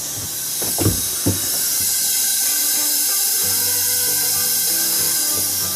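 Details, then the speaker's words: 1965 1200 40 hp engine stopped during a leak-down test showing 60% leakage, new rings fitted: steady airy hiss with no rhythm, no air from intake or exhaust; air escaping at the head-to-cylinder joint, needs resealing. "okay so there's no air coming out the intake or exhaust this time so uh but I do hear it coming out here"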